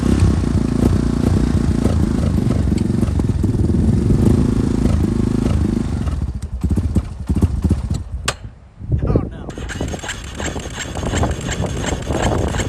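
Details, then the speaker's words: Yamaha Warrior quad, carbureted (Chinese aftermarket carb), weak battery on jump pack, laboured cranking about six seconds that never catches then sputters and dies; little suction at airbox, owner suspects tight valves; hard starting. "I almost think the valves might be tight on this thing because when I put my hand over the air box to try to prime that fuel, I'm not getting a lot of suction."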